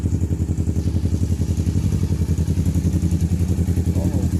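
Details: Kawasaki Versys 650 that previously cranked but wouldn't start, after repairing and taping spliced wiring and fitting the tank temporarily: it now starts and idles with even, rhythmic pulses at about three to four per second, no misses, so it is running cleanly.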